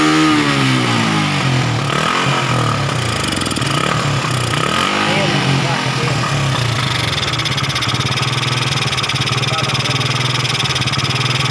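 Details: Suzuki Satria FU that had been hard-starting, misfiring, backfiring and lacking power: kickstarted after its torn vacuum was glued and openings plugged. It catches, stumbles briefly, then runs fairly evenly with no obvious popping.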